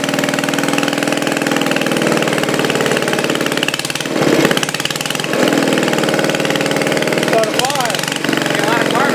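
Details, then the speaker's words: Old Briggs single-cylinder engine, started for a homemade radial engine project after penetrating spray to loosen it, some smoke from the spray; holds a steady, even putter with no knocks or misses, sounding healthy. "Oh, listen to that. H. Yeah, that's pretty good, buddy. That's not too bad."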